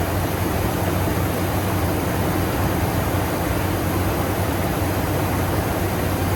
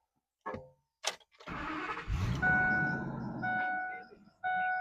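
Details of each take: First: Ford F250 Super Duty after replacing the alternator, whose bearings had squeaked, with the belt refitted: even, steady low idle with no chirp or squeal; engine and belt drive sound healthy. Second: Ford F250 Super Duty diesel running, high steady squeak repeating in short bursts: worn alternator bearings, squeaking since purchase; belt tensioner already replaced without fixing it; alternator replaced.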